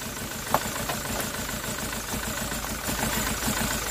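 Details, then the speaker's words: Ssangyong Musso diesel after bleeding a fully dry fuel system, IMV plugged back in: uneven stumbling idle with occasional misses; air still trapped in the fuel. "sounds like it's still air in the fuel so she's running mint now"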